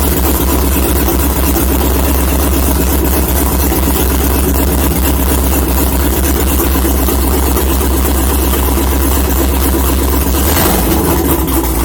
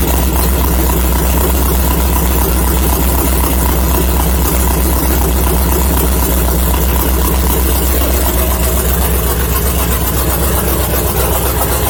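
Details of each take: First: LS-swapped Mazda Miata after a coolant system rework, started after an oil change: low idle runs about ten seconds, then stumbles and dies; owner suspects it ran out of fuel (only a couple of gallons in, no fuel gauge). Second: LS-swapped Mazda Miata after adding a few gallons of fuel, thought to be the problem (the fuel pump had been getting loud): loud, steady, even idle with no knock or misfire; still needs a tune, the thermostat housing weeps and the fan won't switch on by itself.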